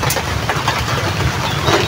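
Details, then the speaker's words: Water pump motor before bearing and impeller replacement, plugged in and running very noisy: harsh, gritty rumble and rattle instead of a smooth hum; worn motor bearing to be replaced. "ano anong narinig niyo mga idol? Maingay or napakaingay? Napakaingay niya mga idol."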